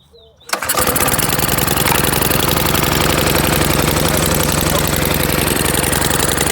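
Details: Honda GC 190cc single-cylinder engine pull-starts, then putters steadily and evenly with no knocks or misses; healthy before deliberate hydrolock and dirt test.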